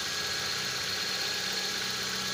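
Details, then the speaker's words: Toyota Corolla starting and idling after new spark plugs and high-tension cables, timing correct, new starter, alternator charging fine: even steady idle with no misses, knocks or stumbles. "Ayan umandar na siya guys. Is-start lang. So tama 'yung timing natin. Sakto 'yung timing natin."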